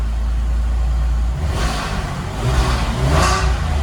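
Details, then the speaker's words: Porsche 996 GT3 cold idle after new plugs, coils and tensioner (previously misfiring on cylinders 3 and 5), AC on, idling a little high: smooth, even low drone with gentle rev rises and no stumble; running smoothly. "Seems to be running smooth. Still idling a little high, it's cold. Let me turn the AC off over here. I got the AC on. But it seems to be running nice."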